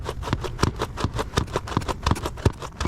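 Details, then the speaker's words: Nano Talon Evo RC plane aileron: sharp, uneven clunks about three a second as the aileron moves, caused by the spar binding on the hinge instead of swinging freely. "that clunking sound is The Binding of that Spar on the hinge"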